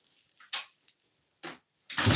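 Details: Honda TRX250R two-stroke, first start in 8-9 years, no fuel line, running on float-bowl fuel: a few kicks with short bursts, then catches and holds a rough, buzzy idle; owner suspects a possibly blown head gasket.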